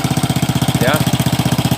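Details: Old Honda Supra X 100cc with a new, likely non-original (KW) cylinder block, at idle: harsh, fast, loud metallic clatter on every firing pulse, diagnosed as a worn cam chain needing replacement; it also smokes when revved, suspected valve seals.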